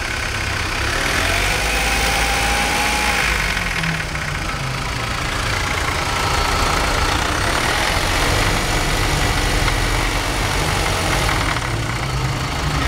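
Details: BMW 318i with a rough idle; it hunts up and down with an uneven, loping beat and no clear knock. Cause not evident.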